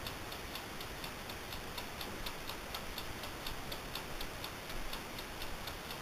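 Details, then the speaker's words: Amaco polymer clay craft oven, brand new, recorded up close while running: soft steady ticking a bit over once a second over quiet hum is the mechanical timer, normal operation. "And that ticking sound is actually the timer, so just so you don't know."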